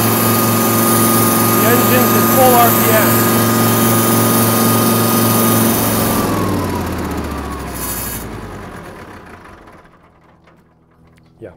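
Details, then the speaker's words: Kubota M5700 five-cylinder diesel tractor put in first gear: runs steadily at high revs then sags and dies within seconds, fuel light on; suspected fuel system fault. "I'm going to put in first gear and try to drive and you'll see how quickly it stalls and dies"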